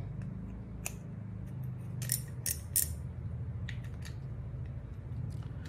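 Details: Used Ryobi Cynos XS 700 ZM spinning reel, Japan-made: crisp scattered clicks as the spool turns over a low hum; spool clicker and drag working normally.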